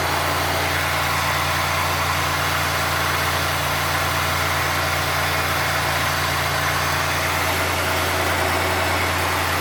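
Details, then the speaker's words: 1990 Oldsmobile Trofeo 3.8L V6, cold idle after idle-fault work and line adjustments: a steady, even low hum with no misses or surges, judged normal cold idle. "it's not as bad ha definitely not as bad like actually you know what now think about it I think that's normal Idol when it's are cold"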